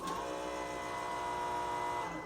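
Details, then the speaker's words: Second-gen Dodge pickup with a FASS lift pump, key turned to on. A steady high whir runs about two seconds, then winds down; normal priming, and bumping the starter runs the pump about 30 seconds. "so on the second gen dodges uh when you turn the key to the on position the the the the fuel pump will come on for a brief"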